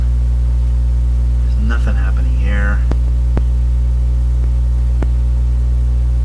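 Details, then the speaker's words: Mains hum on an 85-year-old National HRO receiver, second power-up after a stuck-open B+ switch: loud steady low hum, faint clicks and whistles, no stations heard; owner thinks it comes from the never-serviced power supply. "the hum is coming in pretty strong this thing can't hum on its own as far as I know there's no humm ability in here it's got to be coming from the power supply"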